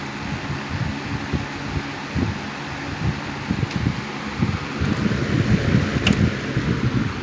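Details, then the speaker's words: 1987 Patton 12-inch rotary box fan after addressing the worn bearing sleeve and oiling: steady low hum with even airflow rush on medium and low, no rattles, ticks or vibration; running normally. "awesome no noise or no vibration at all no noise"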